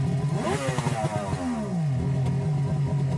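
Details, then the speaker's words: 2003 Yamaha GP1300R two-stroke jet ski on water hose after Riva Racing free flow exhaust install: loud rasp rising and falling through a quick rev, then steady burble; normal running. "Here is a quick clip showing the ski running on the water hose so you can hear how the free flow exhaust sounds installed on the"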